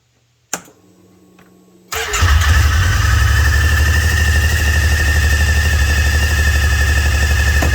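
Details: Kawasaki Teryx 800 with suspected wet clutch issues: the engine cranks, catches and settles into a fast steady beat with a high, thin screeching squeal above it, likely from the clutch.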